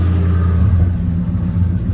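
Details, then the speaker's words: Chevy box car with an LS swap, being fitted with a 4L60E harness; starts after a missing 15-amp fuel pump fuse was replaced and holds a steady, fast idle that stays too high, expected because of missing idle parts. "It was missing a 15-amp fuse for the fuel pump. That's what it was. I hear it's idling kind of high."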